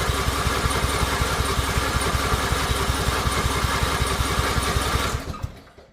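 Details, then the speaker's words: Riding mower, in park with choke on: steady cranking about five seconds with even compression pulses, then winds down without catching; cause unknown. "It's just not catching. It's acting like a like it wants to, but it's just not it's not catching."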